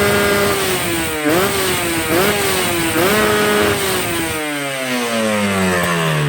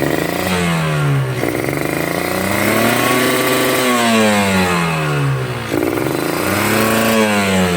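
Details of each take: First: Two-stroke motorcycle, not yet warmed up: sharp, crisp throttle blips climbing and dropping cleanly without bogging; carb set lean at low revs and rich at the top, the correct efficient setting. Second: Two-stroke motorcycle with the carb set wet (rich): revs rise and fall heavily with a sputtering, burbling note that won't clean up; rich mixture, wasteful of fuel.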